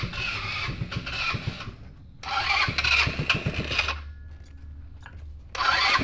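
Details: 150cc full-suspension go-kart engine revived with new fuel tank and battery; catches after cranking, then runs in uneven bursts as the throttle is worked, picking up cleanly each time; normal starting and running.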